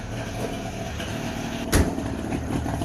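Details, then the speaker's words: Two-stroke Subaru 360 just started in neutral: a busy, buzzing idle running steadily with one brief clatter midway; even firing, little or no smoke, nothing wrong heard. Normal two-stroke idle. "Oh yeah, she fired right up. A little bit, so much is smoking."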